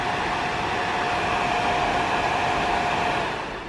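Steady, even whoosh of moving air with a faint constant hum and no ticking or rubbing; the fan sounds healthy.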